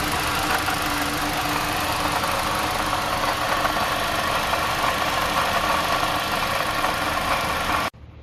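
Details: 2015–2017 Toyota Corolla engine idling, noise traced with a hose to the water pump, before replacement; constant whirring hum over the usual running sound; worn water pump bearing noise.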